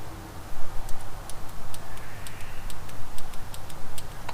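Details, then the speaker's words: Third-gen car fuel injector, cleaned after soaking and tested on a bench hookup: crisp, evenly spaced clicks about four a second; solenoid now freed and clicking normally. "so hopefully you can hear this if you can hear that that is the solenoid clicking now unbelievable"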